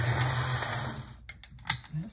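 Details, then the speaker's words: HO model locomotive running on hollow-based track, which may make it sound louder: steady low motor hum with a light whir above it, even and quiet before coasting to a stop; normal running. "quiet too i think the fact that these easy track makes things sound a little louder than they really are because it's hollow underneath there"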